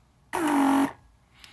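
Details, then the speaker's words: Mercedes S320 door lock vacuum pump after cleaning and rewiring, tested on a door lock circuit: a half-second steady buzzing hum dips slightly in pitch, then cuts off with faint valve clicks; the pump runs and shuts off normally. "what happens here is that when the pressure is diverted, the valve shuts down faster, and in other words, a normal operation. So you can hear the valves inside. So to sum, this pump is perfectly fine now, works great, cleaned up."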